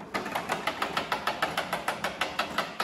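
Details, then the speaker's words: Honda HRX217 self-propelled rear-wheel-drive lawn mower that will not self-propel, engine off: sharp dry clicks about three per second from the rear drive ratchet, key and spring, which are dry and need grease. "I just want to show you how I grease the Kia has to be kept greased and if you hear this click click click"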